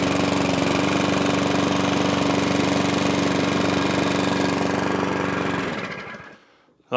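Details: Small single-cylinder engine with a dodgy throttle cable, choke held by hand: holds steady, fairly even beat at full choke then dies away; runs only choked, carburettor needs work.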